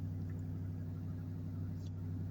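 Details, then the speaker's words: Ford 460 V8 van after four months sitting, warmed up: steady, even idle with a deep hum, now a bit high after being low when first started. It still engages reverse, neutral and drive. "adding a bit idling a bit high, but let's see if it'll go in reverse."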